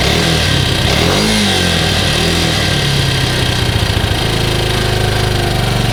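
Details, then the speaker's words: Grizzly 125 single-cylinder quad unrun over six months, possibly low oil, on car oil: catches and revs up and down cleanly, steady firing, no knocks or rattles; sounds better than remembered. "this thing sounds good just because i haven't ridden it in a while but it sounds sounds way better than what i remember"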